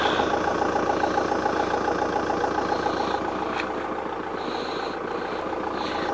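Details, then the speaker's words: VW Golf GT TDI diesel, off the road since January 2020 after a burst radiator, just started: soft, steady diesel clatter at idle with no misses or knocks; running evenly after long storage. "well it started a lot quicker than i thought it would this car has been setting up since 2000 and 20."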